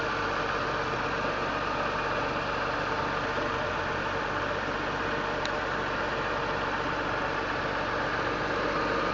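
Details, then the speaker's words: 2001 BMW M3 straight-six with over 200,000 km, warming up after a cold start: idle now under 1,000 rpm and expected to drop as it warms, steady and consistent with no over-revving; normal. "So back here, you'll notice that it's revving under 1 now, and as it gets warmer, it'll be a little bit lower. But it's exactly the way it's supposed to be, and you know, it doesn't over rev or anything. It's very consistent."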